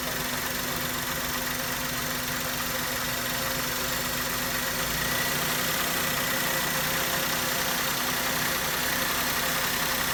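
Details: Maruti Suzuki K-series car engine after coil and spark plug work for a misfire: steady, even idle with smooth mid-pitched hum and no stumbles or dropouts; firing cleanly on all cylinders.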